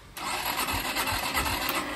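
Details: Orcal Astor motorcycle, unused for a while, during an electrical fault search (warning light on): the starter spins with uneven compression pulses about three a second and the engine never fires. Hard starting, cranking without firing.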